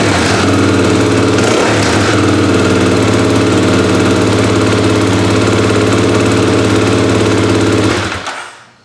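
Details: 2024 Kawasaki KLX300 after installing Delkevic aftermarket header pipe: loud even single-cylinder thump at steady idle for about eight seconds, then dies away at shutoff; runs clean and healthy.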